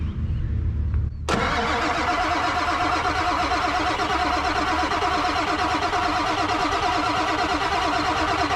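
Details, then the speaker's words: Non-running 1997 Ford F250 4x4 with 7.3L Powerstroke diesel, new batteries, in neutral: steady starter cranking about three turns a second for over seven seconds, no firing; cranks but won't start, cause unconfirmed, oil checked. "all right that should be enough cranking to see if there's anything pouring out anywhere"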